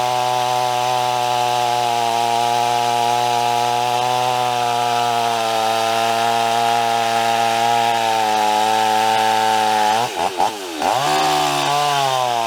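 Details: Stihl 026 chainsaw with a new 18-inch bar and chain in roughly 100-degree heat: a steady high drone through the cut that sags and bogs near the end. The saw feels lazy, pointing to worn rings and low compression.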